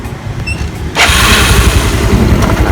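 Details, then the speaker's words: Yamaha Mio Soul after starter motor repair (worn bushing replaced with pipe piece, magnet rubbing fixed): quick smooth crank catches into clean steady idle, no rough grinding; normal electric start. "Dan di sini udah nggak bunyi kasar lagi ya, suaranya nggak seperti tadi bunyi kerak gitu, enggak."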